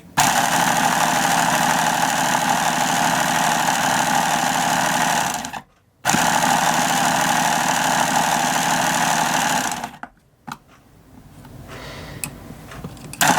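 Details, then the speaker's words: Hobao Hyper7 starter box electric motor after re-greasing, on a full battery: steady whir with a rough, rattly wobbling beat about 220 a minute; owner suspects worn-out bearings. "I know it sounds a bit rough but it ain't all that bad you know I know it's a bit wobbly and a bit loose but it's not that bad I probably going to say what the bearings have had it"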